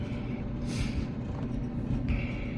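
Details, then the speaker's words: Maytag Bravos XL MCT gas dryer, over five years old, after idler pulley replacement fixed a loud squeak; even low drum rumble with no squeal or chirp, turning smoothly. "See if it makes any noise. No squeaking. So that's what it was. No squeaking"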